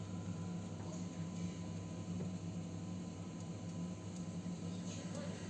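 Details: Gas boiler running before descaling: steady low hum and faint hiss with poor water heating, from scale in the heat exchanger, later flushed with citric acid.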